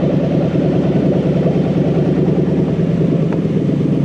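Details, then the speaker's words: Toyota 3UZ-FE VVTi V8 on a new Haltech Elite 2500 wiring loom with drive-by-wire but no idle control yet. Warm, it idles low at about 500 rpm: even, smooth low burble with no knocks or hunting. Normal warm idle. "This idle's low, but it does actually idle now it's warm. It kind of, it idles at like 500 RPM."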